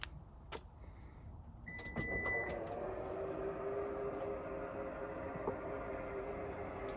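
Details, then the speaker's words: Lexus NX power tailgate after greasing the struts (part 68920-48061) to cure a rumbling, grating noise when closing: soft, steady motor hum with no rumble or knocking; normal operation after fix. "Okay, and then back down and listen. Quiet as a mouse."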